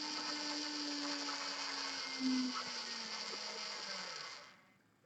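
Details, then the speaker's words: Small 12 V DC motor driven by a kit-built PWM regulator with transistor power stage, duty cycle lowered from 100%: high motor whine and low hum falling steadily in pitch as speed drops, then stopping; normal operation. "Vamos aumentando el ciclo útil, la velocidad va aumentando hasta llegar al máximo. En este momento, la señal PWM que sale por aquí, amplificada en potencia por este transistor, es una señal cuyo ciclo útil es del 100%."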